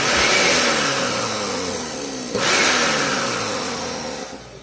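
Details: Blender that had been making a strange noise and a burning smell, now after the repair: a high whir that winds down evenly as the motor slows, with one light click and no scraping. The motor sounds healthy.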